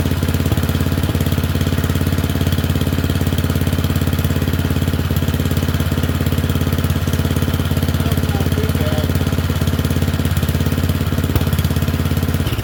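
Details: Murray Select 30-inch single-blade riding mower: a steady, even, low single-cylinder beat at constant speed with no misses or knocks. It runs normally and is burning junk off.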